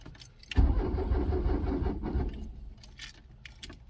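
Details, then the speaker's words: Truck battery flat dead, truck unstarted for years, jumped with JF.EGWO 2000A 12V lithium jump pack; starter spins briskly about a second then drags and fades as the overloaded pack sags, slow cranking. "Yeah, it's just gonna kill it. But it did. See how quick it took it down. I mean, it's just not meant for that."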